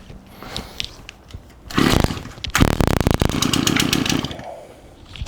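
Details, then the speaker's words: Shindaiwa AH242 hedge trimmer, received with no gas and gummy purge bulb, loose exhaust housing: brief buzzing run that flares, sags and dies; won't stay running, later judged a fuel delivery fault. "our exhaust housing is loose it doesn't really want to stay running does it let's stick it on the ground let's try that again shall we"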